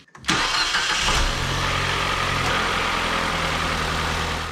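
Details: 2011 Ford Fiesta started right after replacing the spark plugs, with the MAF sensor and air filter still to be replaced. It catches quickly on the starter and settles straight into a smooth, even idle with no misfire; normal start and idle.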